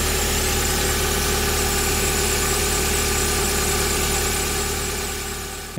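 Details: VW Gol with AP 1.6 engine at idle: steady hum and faint whirring from the front accessory belt area, worse when cold; belt, tensioner bearings, water pump or alternator suspected, source not found.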